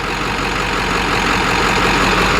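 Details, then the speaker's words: Ford F250 7.3 Powerstroke diesel idling after a harness fix, running 15 psi boost; steady, even, crisp clatter with no misses or knocks, smoother and sounding like a 6.0: normal diesel idle. "sounds like a 6-litre that aspect and I just like it's like smoother too"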